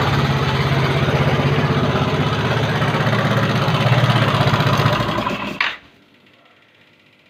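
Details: Yamaha Mio carbureted scooter with a rough-engine complaint: harsh, coarse running with a fast uneven clatter, then shut off. Noise could come from the front, middle or rear of the engine or the CVT; source unconfirmed.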